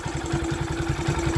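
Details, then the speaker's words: Honda Sonic 125 that would not start, with new carburettor flooding from dirt: fuel line replaced and fuel filter added, now it starts, cover left off to watch for flooding. Even low putt-putt, roughly seven beats a second, no misses or knocks; normal idle. "ติดแล้วนะครับแต่นี่ผมยังไม่ได้ประกอบตัวนี้เพราะอะไรเพราะผมจะดูว่า"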